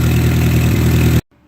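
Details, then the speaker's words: 1958 Oliver 550 gasoline tractor after ignition work and vacuum leak fix, charging light out; steady, even low idle with smooth regular beat, no hunting or misses, settling without carb adjustment; normal idle. "And the engine has actually settled down to somewhat of an idle without turning any screws or anything. So I guess we fixed our vacuum leak problem."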